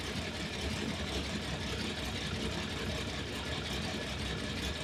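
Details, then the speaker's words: Ferrari 365 GTB/4 Daytona Spider V12 running on all 12 cylinders at idle: rough, lumpy misfire felt through the exhaust; cylinder temperatures read unevenly, from 36 to 91 degrees. "Yeah, you can hear the misfire. You can feel it lumpy through the exhaust. Shouldn't be like that."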